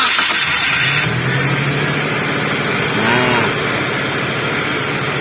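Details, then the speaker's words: Car starter after servicing: brief clean crank, then the engine catches and settles into a steady idle. The rough noise the starter used to make after starting is gone; no grinding or rasp, back to normal. "yang awalnya starter ini bersuara kasar ada suarane itu setelah starter tapi kali ini sudah bersih starter ini sudah kembali normal"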